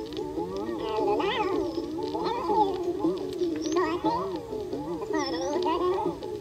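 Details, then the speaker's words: Record cut on a diamond turning lathe, played on a cheap briefcase turntable: pitch sags and rises unevenly, warbling and distorted, because the lathe's velocity control couldn't hold speed under changing load; record playback speed wobble. "so that was you know the load changing because it was running out and speeding up and slowing down and in general just not going fast enough so it sounds super creepy and distorted but it at least plays"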